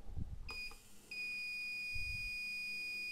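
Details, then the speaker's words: Insulation test with a UNI-T UT501A insulation tester on a heater element: at 100 V no fault showed, but at 250 V the tester beeps steadily, showing a dead short with zero resistance and a breakdown; the heater element is dead. "i wychodzi że mamy Pełne zwarcie Jak słychać urządzenie piszczy i mamy 3V przebicia"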